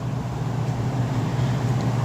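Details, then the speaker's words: Apartment AC with iced coil and dead indoor blower, capacitor tested good (7.4 of 7.5): after swapping in a replacement thermostat the indoor blower runs with a steady low hum and even airflow, no rattles or squeals. "all right here's the one we took off and here's the one from the shop that I had and we'll just turn it the fan on [Music] there's the fan"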